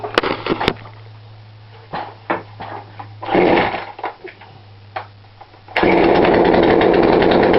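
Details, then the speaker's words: Poulan Pro 42cc chainsaw, after turning the carb low screw in slightly: steady idle with some handling knocks, then a clean rev that holds high speed evenly. Running right. "There you go, guys. I adjust that screw a little bit. As you can see, it's still sound a little up just a little bit more."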